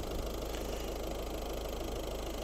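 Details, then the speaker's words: 2013 Ford Grand C-Max Titanium TDCi, 1.6-litre diesel, 6-speed manual, 96,692 miles, just serviced; recorded at the engine bay with bonnet open; low even diesel idle with soft steady clatter, no misses or knocks, smooth and healthy. "you can hear how smooth and how beautiful the engine runs."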